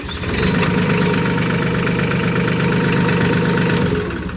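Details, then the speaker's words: Mahindra diesel tractor, no-start traced to a safety switch not engaged despite lever looking neutral: with switch engaged it catches right away and settles into a steady, even idle, clean firing, no knocks or misses. "All I had to do is make sure that safety switch was engaged."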